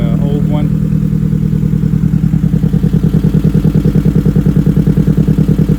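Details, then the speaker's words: Karmann Ghia with Acura TSX K-swap, secondary O2 sensor code, exhaust being replaced: loud, deep, rapid pulsing exhaust note held steady at idle that drowns everything else out; exhaust far too loud. "Definitely got to get the sound down on this thing. It's just so loud."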